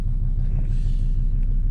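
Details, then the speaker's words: 2005 Volvo XC90 2.4 D5 diesel in cold weather, new glow plugs fitted: low, even rumble with steady firing pulses, no misfire or hunting; smooth cold idle, glow plugs working. "But there you go, it fires up. And that's that. That's our glow plugs working."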